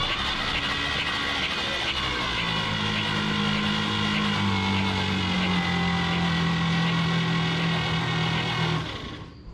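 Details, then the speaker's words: 1951 Chevrolet Advanced Design pickup sitting about 30 years, no spark plugs in: slow, laboured whirring crank about four beats a second with strained motor tone; smoking followed, owner suspects faulty starter rather than weak battery. "Also, it seemed like it was cranking really slow, but I thought maybe that was the never start battery. But maybe it's our starter."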